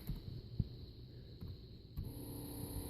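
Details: Turbo Honda boost control solenoid driven from Hondata laptop at about 55 duty: quiet steady electric hum with soft clicks as valve cycles, louder with higher duty; solenoid working normally.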